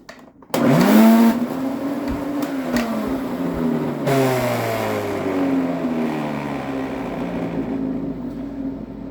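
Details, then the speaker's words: Motor of a 21-year-old Electrolux Epic 6500 canister vacuum starts up loud and harsh with a rough, wavering whine; the motor bearing is worn out and cannot be replaced, so the whole motor is replaced. "That doesn't sound good, does it? The bearing is out on the motor, and there's no way of replacing the bearing."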